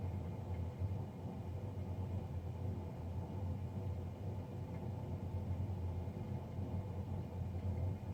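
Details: Navien NCB-240 combination boiler; steady low droning rumble with no rhythm or change in pitch throughout. Loud combustion fan noise.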